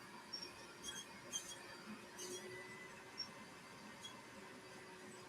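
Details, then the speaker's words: Laser engraver gantry: faint, short high squeaks about every second over a quiet hum as the head travels; owner suspects the rail and track. "Can you guys hear that squeak? I'm definitely going to have to look into that. I don't know what else would be squeaking other than the the rail and the track."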